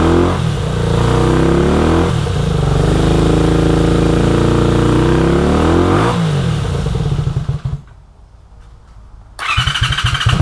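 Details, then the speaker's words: 1983 Honda VT250 V-twin with 63,500 km, first run after freeing seized carburetor slides: lumpy idle swells into a few clean revs and drops back smoothly, no knocks or rattles; engine runs healthy, needs only a tune-up. "so i am calling that a big success this thing runs awesome for a 250."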